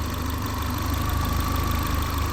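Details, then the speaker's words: Manual-swapped VW Mk4, warm at idle in cold weather, jump-started: smooth, even purr with no ticking; vacuum about 18–20, normal. Smoke is thought to be just moisture. "this thing's purring thank you pulling about 20 20. that's like 18 vacuum which is about normal"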